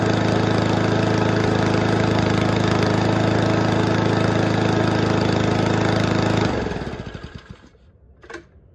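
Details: Toro commercial 22295 mower with Honda commercial engine, no-start after winter storage due to old stale fuel in carburetor; after fix it runs smooth and even at steady speed, no misfire, then shuts off and winds down cleanly.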